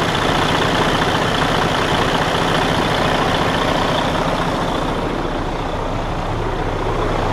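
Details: Detroit DD13 diesel in Freightliner Cascadia after repair of camshaft damage and replacement of the whole housing (previously loud internal noise, out of timing): even steady idle with smooth low pulse, no internal clatter or knocking; running normally.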